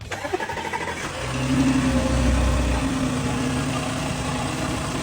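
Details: Audi C7 2.8 engine after repair for a cold-start ticking noise from the intake camshaft side, traced to hydraulic lifters that had lost pressure: starter cranks briefly, engine catches and settles into a steady idle with no lifter or chain tick.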